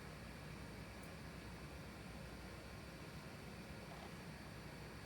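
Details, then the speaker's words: Compaq LTE Lite 20 laptop with a Conner hard drive: over steady hiss, a sharp isolated click repeats every few seconds as the drive fails to spin up; stuck heads from stuck or melted rubber bumpers, doubtful it will boot. "this is one of those classic Connors that have the issue with the stuck rubber bumpers or melted rubber."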